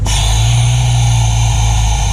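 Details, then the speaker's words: Jeep YJ brake booster before swap to a GM truck dual-diaphragm booster; poor brakes and a steady low hum with loud continuous moan over the running engine: failed brake booster, totally shot. "but not only does it not have good brakes this noise you hear"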